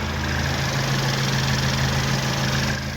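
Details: Peugeot 3008/2008 1.6 THP turbo petrol after the rattling timing chain was replaced: steady low idle with an even beat and no rattle or slap from the front of the engine; normal idle.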